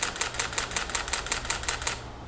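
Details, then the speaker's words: Nikon D600 in normal continuous-high release mode, recorded from a distance from the microphone: crisp, evenly spaced shutter clicks, about five or six per second, for two seconds. Normal burst shutter. "let's just hear what it sounds like if we have it as a normal continuous high from here so from this distance this is what it sounds like"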